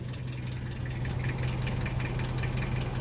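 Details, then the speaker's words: 1991 Nissan D21 ute, 5-speed, with a single-row cam chain: idling petrol engine with a loose, uneven rattling tick over a low hum. Timing chain noise. "that is cam chain noise you can hear it's got single row cam chain in this one"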